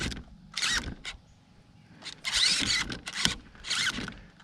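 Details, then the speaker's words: Primal RC Raminator monster truck steering servo: short hissy buzzes with occasional sharp clicks as the servo's gears strip; steering sometimes turns fully, sometimes just stops. "This servo's stripping now. Sometimes it'll turn all the way, then sometimes it will just stop. Hear it clicking once in a while?"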